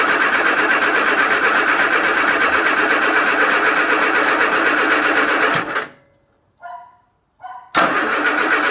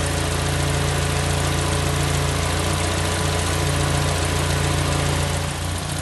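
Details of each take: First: Agatha, battery just reconnected, fuel system expected empty: starter spins steadily about four beats a second for a long stretch, pauses, then cranks again without catching promptly; long cranking expected from lack of fuel. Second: Warm engine at idle, just up to temperature: even low hum with a soft rushing as the cooling fans cut in. Normal idle.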